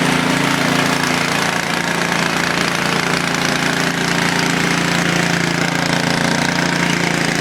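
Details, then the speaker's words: Snowblower cold-started on the first pull after sitting unused; loud, steady single-cylinder chatter holding even speed with no misses or surging, healthy. "start it up first pull not bad"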